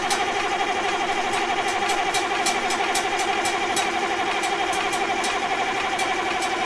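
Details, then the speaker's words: 1965 Allis Chalmers TL645 loader, turbo 6-cylinder AC 3500 diesel, dry after 10+ years, with the reinstalled Stanadyne pump and loosened injector lines: steady cranking at about two compressions a second, no firing and no fuel delivery; ether is tried next. "nothing yet this may take a minute all right let's see if we can pull a prime with some ether"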